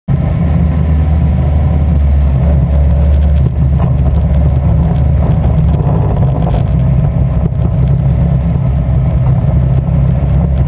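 Deep, heavy engine note with an uneven, lumpy beat underneath, not quite holding a clean rhythm; sounds like a misfire.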